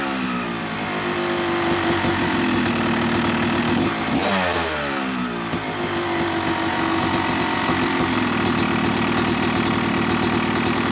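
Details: Yamaha YZ250 two-stroke motocross bike (250cc/270cc) at break-in after a year-long full engine rebuild of bottom end, transmission, bearings, clutch and power valve, new seals; even buzzing idle, revs rising and falling cleanly; normal, healthy.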